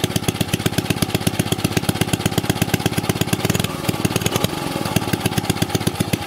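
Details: Old 2 HP Briggs & Stratton single-cylinder engine, already run earlier so started without choke. Steady, regular popping that holds its beat through a brief throttle wobble. Normal running.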